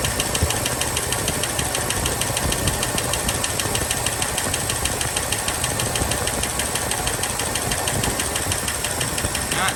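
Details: 1983 Ford LTD Crown Victoria V8 that lost oil pressure and started ticking, restarted after about 20 hours sitting with cleaned rockers: fast, sharp, even tick over the idle; dry rockers, no oil flow seen, filter possibly plugged.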